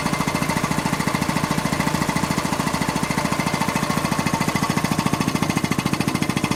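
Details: Quincy 325 air compressor on its final test run after a rebuild (cylinder head cleaned, valves rebuilt): steady, crisp, regular pumping beat around 207 per minute with no knocks or rattles. Normal, healthy running.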